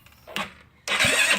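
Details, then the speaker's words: GY6 scooter engine after top-end work, on a charger: the starter spins it in short bursts but it never catches. It cranks but won't start, and battery voltage drops from 14 to 10.5 V; the owner suspects the cam chain is too tight. "it's not kicking over yet. All right, let's go ahead and stop it for right now and see what the battery charge level is like."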